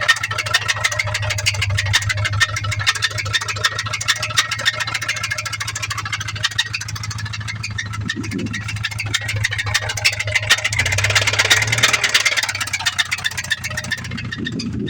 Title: 2003 Subaru legacy l sedan rod knock